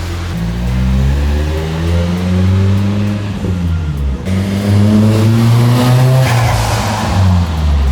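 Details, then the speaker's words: Nissan 240SX after fixing boost breakup from fuel starvation by fitting a Walbro 255 in-tank pump with secured hose, clamps and insulator: starts immediately, pulls strongly and cleanly through the gears under boost without stumbling; healthy engine under acceleration. "So, already you can hear the car started immediately and it's running way better."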